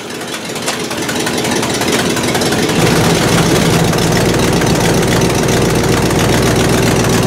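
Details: 1968 Buick LeSabre V8 after engine repair, previously abandoned with no oil pressure and leaking head gaskets; valve cover off, oil pressure good, head gaskets holding, temperature stable around 190°; brief rev rise then steady smooth idle, no knocks or misses, healthy.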